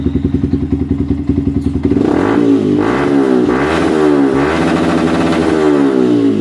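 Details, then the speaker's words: Yamaha Vixion running on an external fuel infusion rig bypassing its fuel pump: idles evenly, revs smoothly to limit with no sputter, pointing to the fuel pump (sensor IC or weak rotak) as cause of bogging. "hidupkan nah ketika kita menggunakan alat infus Ini motor tidak berebet ya Ini motor Sempurna banget sampai limit ketika kita geber ataupun blayer-blayer"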